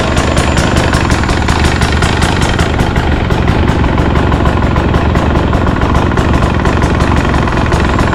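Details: 2024 Husqvarna 300 TE two-stroke after installing a Nicecnc fuel pickup extension tube for fuel supply issues; crisp, even popping at steady idle with no misses, knocks or rattles, normal idle.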